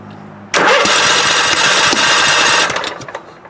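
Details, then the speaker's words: 1998 Scott's lawn tractor with swapped-in Kohler CV16S engine, on gasoline, choke on: starter cranks, then a few ragged firing bursts for two seconds and dies; won't keep running. "Oh, it's struggling. It wants to, though."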